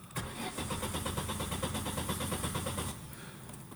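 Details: 2002 Vauxhall Corsa 1.2 with no dash lights and no speedo: steady starter churn at about three compression beats a second for nearly three seconds, cranks but never catches or starts.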